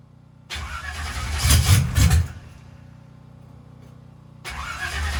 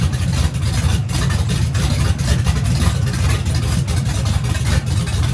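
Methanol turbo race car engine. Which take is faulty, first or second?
first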